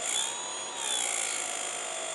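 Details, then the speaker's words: Turnigy Aerodrive 3542 800Kv brushless replacement motor running on the bench: a steady high-pitched whine with a gritty hiss, rough enough that bad bearings are suspected but not confirmed. "Sounds like, I don't know, bad bearings in the thing or something. Doesn't sound right."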